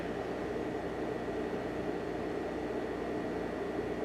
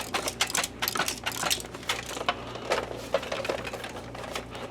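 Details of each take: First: Optoma X600 DLP projector after repair of a detached door switch, plastic damage and fans: on startup the cooling fans come on with an even, smooth airy rush and faint steady tone, no rattles; normal fan operation. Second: Optoma X600 DLP projector that only flashed its LED and wouldn't start: irregular clatters as the case is tipped, from a detached door switch and broken plastic loose inside the casing, likely from a bump in an RV.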